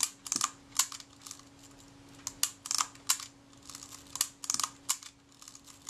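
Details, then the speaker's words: Kodak Retina IIIC camera, shutter release tested after reassembly: a crisp extra click lands just before the shutter fires each time. The film advance is released too early because the screw atop the film release shaft is too high. "now i'm checking the action of the shutter release and i can tell it's releasing the film release the film advance before we get to the point where the shutter fires you hear the click that's the film advance freed up and then the shutter goes"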